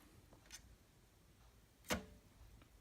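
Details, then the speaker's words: Hand-spun NZXT AER RGB140 case fan from the rear position, working fine for comparison with a bad-bearing fan: it turns almost silently with only light finger taps and no grinding, a normal quiet bearing. "versus the one in the rear which is working fine it's quiet no noise"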